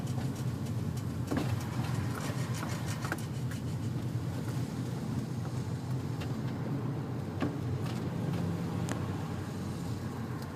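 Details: 2003 Infiniti G35 coupe: sharp scattered clicks from rear passenger side over low rolling rumble while braking, worsening over time; pads and calipers looked fine, owner suspects bearing or spindle, cause never found.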